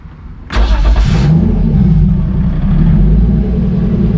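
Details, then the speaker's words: Turbo BMW E30 on E85 after tuning: cranks, catches within a second, settles into steady even low idle without misses or hunting; base map dialed for idle and free revving. "Alright right, guys, so we got the car pretty much dialed as far as idling and free revving."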